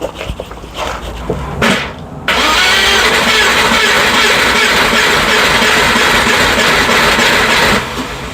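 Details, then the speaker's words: Rover engine (tagged cambelt) that started then suddenly stopped on the M1: the starter spins fast and evenly with a hollow whirr and no compression strokes. The owner suspects the cam belt came off or the tensioner broke. "this that's the sound of no compression which is why when it went with a funny um it cuz it did start and then just suddenly stopped"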